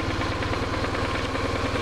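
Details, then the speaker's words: BMW R1100RS oilhead boxer twin, about 75,700 miles, hot, idling at 1250–1300 rpm with 18–19 psi on a mechanical oil gauge: even, steady low pulsing, no knocks or ticks; tested for oil light flickering at hot idle, idle normal. "we are idling at 1250 to 1300 RPMs indicated on the tacometer and our oil pressure is about oh 18 to 19 PSI"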